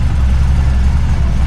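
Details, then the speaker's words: Widebody BMW E36 on individual throttle bodies with an alpha-N tune and no MAF, idling deep and lumpy with uneven pulses. It is running rich and smoky because the throttle bodies are out of balance and need adjusting. "So we have way too much fuel. So I need to adjust this throttle back a little bit."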